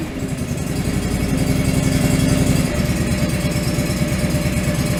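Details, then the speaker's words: John Deere 445 engine after replacing both ignition coils: a strong, firm, steady idle with an even low beat and no missing. Both cylinders are firing, confirmed by a one-cylinder test on each side. "sounding pretty strong i believe we're on both but let's just do our troubleshoot test"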